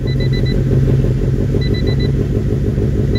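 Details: Honda with a pocketed, chipped, tuned and recapped P28 ECU, on a test start: fuel pump primes immediately, no check engine light. Heavy low rumble with an uneven loping idle and chirping beeps; the loping is from a stage 4 cam, not a fault.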